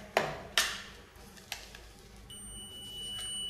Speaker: ये वर्किंग है, बीप की आवाज सुनाई दे रही है।